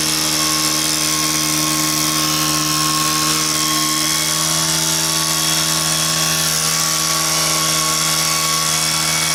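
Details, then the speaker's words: Stihl KM130 two-stroke KombiMotor, after repair, running outdoors with a blower attachment: flat-out scream holding even revs throughout, no hunting or misfire; running perfectly at full throttle. "all right so it's actually running perfect right now"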